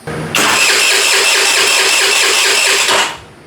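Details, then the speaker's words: Abandoned scooter sitting for years, start attempt: starter churns quickly for about two and a half seconds but engine never catches; no fuel delivered, after a vacuum line was fitted to the intake manifold to get fuel to the filter. "I don't see any fuel going. But this, just in case, you never know. It's not trying to get fuel also."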